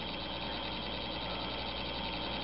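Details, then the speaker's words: DC locomotive run on DCC track power under address 00: a constant, harsh, unpleasant buzz with a shrill ringing edge, though it still moves. The motor will overheat and damage itself if left sitting still on DCC. "And as you can see, the the noise is not uh not terribly pleasant, but he is functional."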